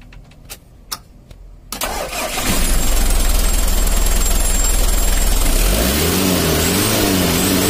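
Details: Mitsubishi L300 diesel with white smoke, after valve clearance adjustment and clearing an air filter intake blocked by carpet/insulation; fires after clicks, steady clatter, revs rise and fall evenly, runs clean.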